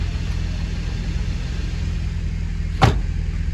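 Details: Porsche 944 after a cambelt change and work on the alternator and power steering pump, charging at 14.5 V: steady, even low idle with no misses, knocks or belt noise, one brief click; running normally.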